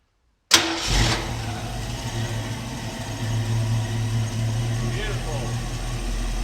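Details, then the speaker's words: 1967 Ford Mustang V8, carburettor, just converted from points to Pertronix electronic ignition and timed to 6° BTDC with the vacuum pipe off and blocked: cranks, catches at once and settles to a steady, even idle; sounds great. "Sounds great already."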